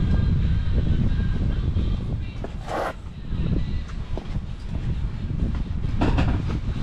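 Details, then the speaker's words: Gen3 Mitsubishi Montero cranking with the crank sensor unplugged so it cannot start, during a power steering fluid flush with a filter added. Steering is turned back and forth while cranking. Heavy, low starter churning for seconds without the engine ever catching. "Crank sensor connector is right up here, so just unplug it. It's not going to start because no crank sensor signal."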